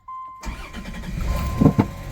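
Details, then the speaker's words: 1990 Dodge Grand Caravan LE, first start after a roadside breakdown and fuel filter job, after earlier failed start attempts: engine catches after a short crank, then two sharp pops as it settles to idle; owner suspects fuel in the exhaust caused the backfire. "and it's running heard a little backfire from the gas in the exhaust I bet from trying to start it but it's running now"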